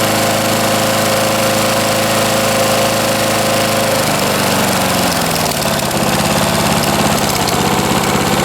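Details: 1989 Lawn-Boy S21ZPN push mower refitted with a 4.5 hp Tecumseh Eager 1 engine, from cold start, one primer press, about half throttle: fast even drone dropping to a lower steady pitch, no misses or knocks; healthy.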